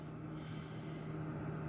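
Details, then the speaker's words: GE refrigerator freezer fan after replacing the noisy fan motor; soft, even low hum with no ticking or scraping at settings three and four; normal quiet freezer fan running. "let's turn it on and let's see what happens okay ah there you go nice and quiet have it on three uh we're gonna put it on four all right there you have it"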